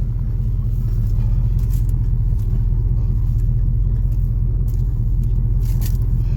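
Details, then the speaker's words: 1976 Chevelle Malibu with newly installed 350 Turbo automatic transmission, driving: steady low engine drone pulling smoothly, no flare or slip; normal shifting. "yes we are going 55 third gear with no problems yeah baby"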